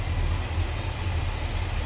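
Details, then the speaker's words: 1968 Oldsmobile 442 convertible, 455 V8 with C heads and new Edelbrock carb, hood open, idling: even, steady low rumble with no misses, knocks or ticking; smooth-running, healthy engine. "You can see that's a nice smooth running engine, sounds good."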